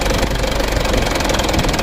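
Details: Young Mitsubishi Canter 136 PS HDL diesel truck (2021/22); uneven rocking idle with knocky clatter, cannot hold 600 rpm; rough idle, mechanic suspects nozzles and valves need checking.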